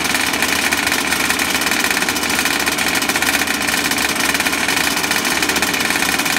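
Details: Small RC two-stroke engine, which had been flooded with lots of 3-in-1 oil, now fired up: a high, fast, even buzz at a steady pitch with no sputtering. It has cleared and runs cleanly.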